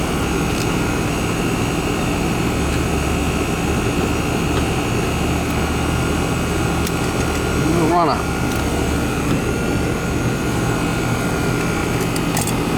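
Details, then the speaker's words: American Standard/Trane AC condenser whose fan wasn't spinning, burnt fan wires found, rewired (hard-start kit wire noted): steady even hum and airy whoosh, no rattles or buzzing; compressor and fan running normally after repair. "foreign ER compressor's running the Fan's running he's a runner"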